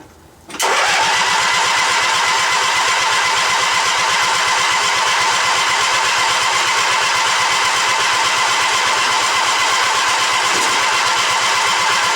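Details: Old Yardman tractor with 4-speed rear end, owner thinks 1979, first start after sitting 4–5 months over winter, choke out; starts first try and settles straight into a smooth, even idle, no stumbles or knocks.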